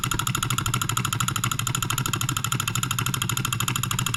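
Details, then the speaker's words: NOS late-1940s/early-1950s Wilkemp Jr Model E solenoid engine from Fishers Indiana, possibly first run in 70+ years: fast even clatter about three beats per second with metallic ring, slightly unbalanced and shaking but running steadily. "doesn't appear to be very well balanced it's shaking a little bit but it seems like it's running really well"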